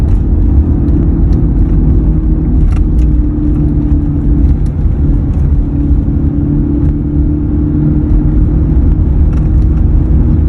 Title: Humming noise is present on this 2003 F 150